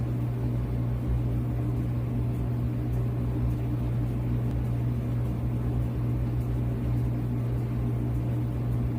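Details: Whirlpool dryer circa 2018, reassembled after a squeaking belt repair, running: steady, even low hum with no squeak, thump or scrape; motor and drum turning quietly and smoothly.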